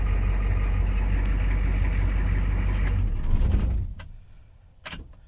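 Key turned: a low, fast, uneven churning near four per second for three seconds, then it dies with no catch. Cause suspected, not confirmed.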